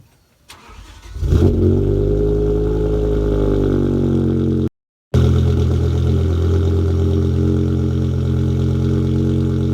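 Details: BMW E60 M5 V10 on full E85 fuel, just after a DIY dual Walbro 255 fuel pump upgrade, with stock exhaust except rear muffler delete and primary cat delete: cranks and catches in about a second, then a smooth, even idle with a deep steady note; normal start and idle.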